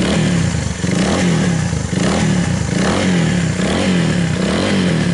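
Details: Viar 150 after repair of a loose cam chain that had let a valve hit the piston; test run after reassembly with a steady single-cylinder putter gently rising and falling about once a second. No knocking, smooth idle.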